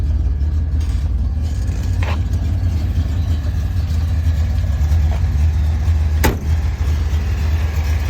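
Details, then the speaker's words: 1972 Datsun 240Z, warm engine idling just above 120 degrees with newly installed F&F Dynamics electric radiator fans switched on by regulator set to 120–130: steady low whoosh and hum, smooth, no rattle or rubbing; normal fan operation. "The motor engine is warm, so it started. You can hear the fan. Here's the temperature, a little bit above 120."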